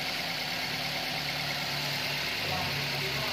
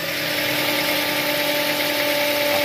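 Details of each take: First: Toyota Avanza after the failed alternator diode was replaced: steady idle with no alternator whine or hum, and the alternator is charging again. Normal idle. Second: Toyota Avanza stalling while driving, battery recharged: steady high whining hum from the alternator over an even idle; not charging. Alternator whine.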